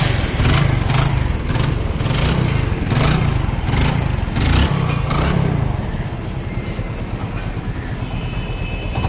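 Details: Hero Glamour motorcycle after piston ring fitting, engine sound problem solved; single-cylinder thump at idle with a few throttle blips, even beat, no knocking or rattle; normal running.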